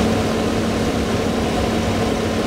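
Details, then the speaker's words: Stock manufacturer roof vent fan in an RV running; steady, fairly loud even whirring hum with no rattles; normal fan operation. "this is what the Titan fan sounds like going at full 100%"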